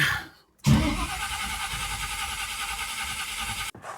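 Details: 1979 Camaro big block Chevy, Powermaster starter after cleaning burnt solenoid contacts: about three seconds of strong, even cranking at a steady pace, no dragging or clicking; starter turning the engine healthily.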